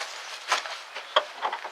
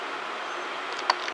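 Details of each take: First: 2001 Chevy S10 4.3 V6 cranking after timing, chain and rotor checked and reassembled: rapid even cranking in three long bursts, never catches; no-start, electrical, later traced to distributor cap shorting. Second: Chevy S10 4.3 V6 running smoothly with a steady, even note and no popping after replacing a distributor cap that was shorting internally and causing a no-start.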